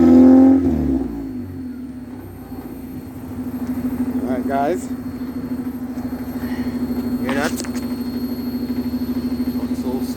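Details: 1992-95 Honda Civic EG with the muffler removed: steady idle, then two quick revs rising and falling with a loud, raw, unmuffled exhaust rasp.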